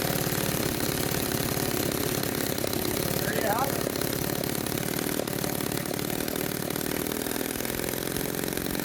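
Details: Restored 1946 Power Machinery chainsaw (Vancouver, BC) running after restoration; fast, crisp two-stroke buzz holds steady and even with no misfire or stumble: running healthy.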